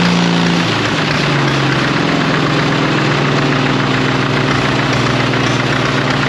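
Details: 1939 Caterpillar D4 D4400 diesel idling after its injectors were serviced and refitted, running with a break-in stack: an even, steady low chug with no knocking. There is a little pop, and one injector has a slight seep still to fix.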